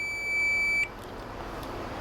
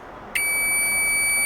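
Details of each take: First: Cheap Chinese multimeter with its stock board-soldered continuity buzzer: thin, steady high beep lasting under a second, then nothing; a feeble, weak buzzer. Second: Cheap Chinese multimeter after its continuity buzzer was replaced with a microwave oven buzzer: sudden loud, steady high-pitched beep holding evenly; much louder and clean.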